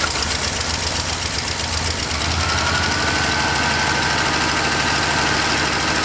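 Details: Long-parked truck with GM HEI, its power wire fed 12 volts from a power probe while cranking: runs steadily at a fast idle with an even exhaust beat and no misses, until it runs out of gas.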